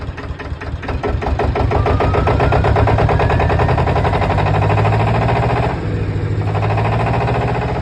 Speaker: We can have a listen. I don't want to know. Purring, it sounds lovely.